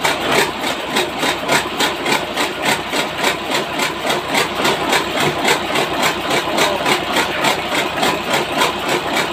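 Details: Engine test-started after a piston replacement: steady idle with rapid tapping of about three to four beats a second from inside the engine, not from the outside part first suspected. Cause not yet confirmed.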